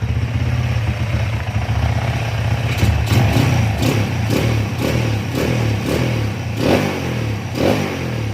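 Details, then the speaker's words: Honda CB/GL/MP/Tiger single-cylinder motorcycle after changing ignition timing to 17.5 degrees to fix kick-starter kickback: steady idle then clean quick throttle blips rising and falling without misfire; normal revving. "Oke, untuk lamsannya oke ya. Untuk gas-gasannya kita lihat di sini."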